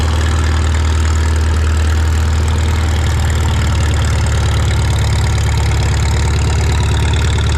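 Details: Farmall Super M tractor being prepared for the Mackinac Bridge crossing, just started with the choke and throttle levers, clutch depressed. A strong, low, steady idle rumble with an even beat and no knocks or misses. The engine runs cleanly.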